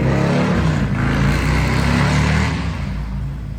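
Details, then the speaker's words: 2024 Harley-Davidson CVO Road Glide, Stage 2 with Cycle Rama CR565 cam and Thundermax tuner, accelerating down the road after warm-up: deep throaty V-twin rumble pulls strongly and evenly, no knocks or misses; normal acceleration. "We'll pull it out in the sun in just a few minutes and get some video of it taking off going down the road so you can hear what it sounds like at acceleration."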